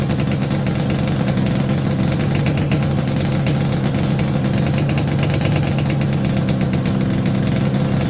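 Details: Yamaha RD350 YPVS F2 two-stroke after a full rebuild (bearings, seals, rebore): an even, steady idle with a smooth rapid beat and no rattles or knocks; clean and quiet.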